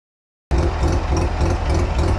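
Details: Mazda RX-7 FC bridgeport rotary at idle; a deep, lumpy burble with a faint, regular light clicking from the engine bay. The source of the click is unknown.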